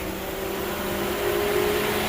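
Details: 2007 Mercedes with cooling fan that intermittently roars like a turbine, fan commanded on by scan tool at about 12% duty: even, steady fan hum with constant pitch and no rubbing; normal now, fan motor to be replaced.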